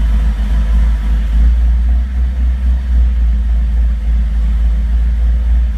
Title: Rough idle